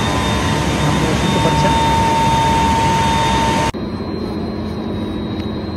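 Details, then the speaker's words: 11kV HT motor after repairing a disconnected rotor coil phase by brazing, insulating and varnishing, running free without load before recoupling: steady, even hum with constant high whine, no knocks or rubbing; runs smoothly. "তো এখন মোটরটি খুব সুন্দরভাবে smoothly চলতেছে,"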